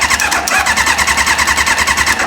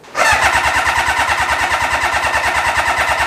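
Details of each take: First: Reliant car with motorbike engine swap, newly plumbed fuel system, fuel line taken off to check delivery: fast, even starter cranking that never catches because no fuel reaches the carb; crank no start. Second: Kawasaki motorbike engine swapped into a Reliant, fuel gravity fed straight to the pump: catches at once and runs with even, quick firing for about three seconds before stopping; runs fine when gravity fed, so the pump cannot pull fuel.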